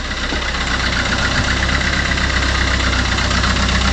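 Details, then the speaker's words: Fiat Qubo 1.3 Multijet diesel after timing chain refit, oil and coolant change: uneven idle with choppy lightly knocking beat about four a second, as if missing a cylinder, smoking heavily; glow plug suspected, not confirmed. "le fait que ça tourne sur TR et que ça cogne un peu ça peut clair la boug de pchage parce que du coup ça fume beaucoup"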